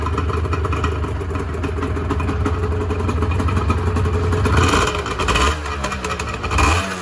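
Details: 1986 Honda NS400R 400cc two-stroke triple revved after first start in 11 months; crisp blips climb and fall back cleanly with each throttle twist, no knock or misfire; healthy, oil light on (owner suspects oil level sensor connection).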